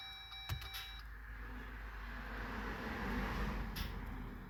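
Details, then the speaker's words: 2021 Jeep Gladiator EcoDiesel after fuel filter change, key-cycle priming: warning chime, then rising lift pump whir with hissy, uneven rushing as trapped air works out through the return. "since we just heard air working out what we're gonna actually do is we're going to do this six times I can still hear air working out the return"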